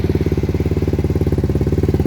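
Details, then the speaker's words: Lexmoto 125 four-stroke single, cold, exhaust baffle removed and silencer plate loose: sharp, raw popping about sixteen pulses a second, loud and unmuffled at idle, revs wandering; loud open exhaust. "revs are a bit up and down because it's obviously cold but it's a bit much in it i think i'm just being fussy but but now that is a bit much"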